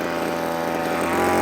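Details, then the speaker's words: Two-stroke line trimmer on a new cheap replacement carburetor, nylon line cut back, just started: fast, steady buzz with no drop-off, idling too high; idle screw to be backed off once warmed up. "there's nothing wrong with that that's good it's revving a bit High"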